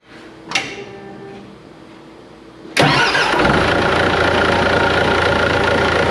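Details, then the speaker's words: Volvo haul truck after replacing two bearings: cranks, catches and settles into a steady even idle with no squeaking or clicking; normal start and idle after repair. "all right that sounds way better no squeaking or clicking"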